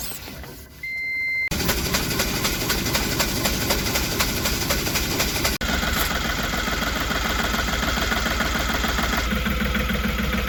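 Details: Ashok Leyland Bada Dost 1.4 LS BS6 diesel after no-start repair (cranked but would not start); cranks, catches and settles into a steady, even diesel idle with regular clatter and no misfire.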